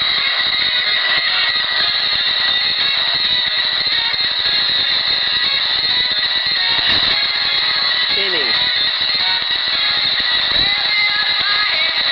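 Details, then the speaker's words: Candle JT-1107 cassette recorder playing back music it recorded: harsh, fuzzy sound with strong hiss and crackle on the top end, caused by overdriven recording level (automatic level control) and the DC bias erase head. "that sort of noise is caused by over and the fact DC bias isn't like that music"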